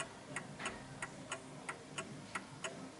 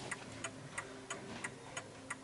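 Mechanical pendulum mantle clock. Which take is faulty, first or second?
first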